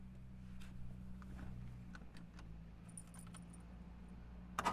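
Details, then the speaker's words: 1959 Jaguar XK150S Roadster, 3.4-litre, pretty much warmed up, starts on the button and settles into a smooth, even idle with no misses or knocks; dyno-run DB5 audible in background; normal start and idle. "So there we go, on the button. So pretty much warmed up, and nice smooth idle."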